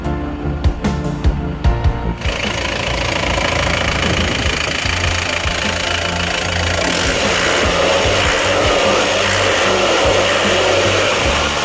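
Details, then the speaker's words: Isuzu Panther pickup diesel after engine overhaul for blow-by (one cylinder compression 24): injection timing advanced slightly as it felt sluggish, now crisper without knocking; a few loud knocks at start, then smooth even idle, normal. "tadi timing agak Saya majukan sedikit karena rasanya tadi agak kumal ini sudah saya masukkan sedikit soalnya menjadi lebih garing tapi tidak kerang"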